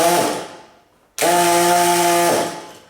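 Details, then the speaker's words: Small electric air pump, tried out and pumping air: two short bursts of steady even-pitched buzzing hum with no rattle or labouring; running normally. "but this is definitely a little air pump I've tried it out you can hear it pumping"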